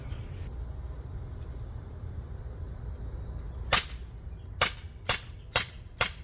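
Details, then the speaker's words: CO2 pistol stored over a year with a full CO2 cartridge, fired with a new cartridge: five sharp, crisp, equally full cracks about half a second apart; seal still holds gas. Normal firing. "Well, it fired all the rounds. Every one of them shot out. It's still holding gas."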